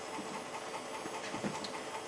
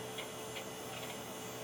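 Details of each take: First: Floppy drive in a Pentium Pro system booting an MS-DOS disk 1: faint, irregular ticking and scraping about two or three a second over hiss; motor powered but drive sounds failing. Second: Pentium Pro PC hard drive at power-up: steady low hum with a few soft clunks and ticks as the drive spins up; clunking is normal, though video output is missing.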